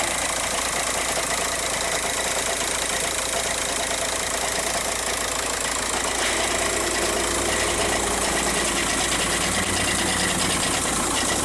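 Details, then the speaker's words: 2006 Jetta TDI with DSG at idle: loud, harsh constant metallic rattle over the diesel idle; badly worn dual-mass flywheel. "the customer has this 06 jetta with a rattle noise it's a the dsg flywheel has worn out these rattle all the time this is one of the worst ones i've ever heard though"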